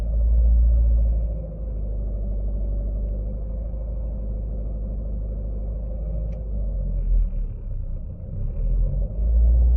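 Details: Chevrolet Aveo T300 cabin: a deep, droning hum swelling louder in waves around 1500 rpm. The cause is unknown.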